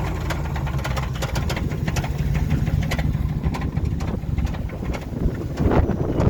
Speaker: that's a classic example of a connecting rod just swinging around in there